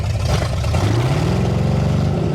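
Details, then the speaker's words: 1973 Ford Mustang Mach 1 V8 restarted after the distributor cap got wet at a car wash and was wiped dry: low rumble rising then settling with an uneven lumpy beat; still missing on a cylinder. "still missing out yeah good enough"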